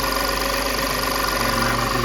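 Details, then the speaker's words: Audi 3.2 V6 after high-pressure fuel pump replacement, idling steady and even with fine fast ticking; it used to sputter and need throttle when the pump made only 70 psi, and now runs normally. "So yeah, now it's running good."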